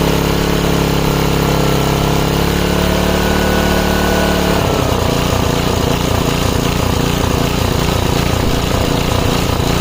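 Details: 5 HP Briggs & Stratton on an MTD rototiller after carb cleaning, started without choke or prime: steady note, then hunting and pulsing unevenly, a surging idle, likely fuel-related. Almost idles well off throttle.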